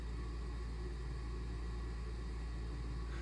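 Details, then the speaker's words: Home furnace that still fails after multiple service visits: just switched on, a steady low rumble starts but no fan rush or air comes out at all; it runs briefly without moving air, cause unclear. "but there's no air that's actually coming out. There's no air whatsoever. So this is the problem that we had before, is the furnace will turn on for a short time, but no actual air will come out."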